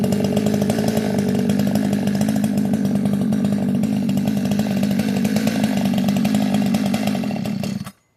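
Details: Modded 60cc Echo 620 chainsaw, widened-venturi 620 carb, high jet only a turn and a quarter out, idle turned up: steady full-throttle scream with slight uneven burble underneath; four-stroking a touch from rich high-speed mixture.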